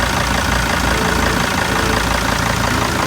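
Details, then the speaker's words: 2002 T1N Sprinter diesel van with 118,000 miles at idle: after a galloping idle suspected to be an EGR problem, it settles into an even, steady clatter with no hunting, now idling smoothly. "hear the galloping there goes it just smoothed out"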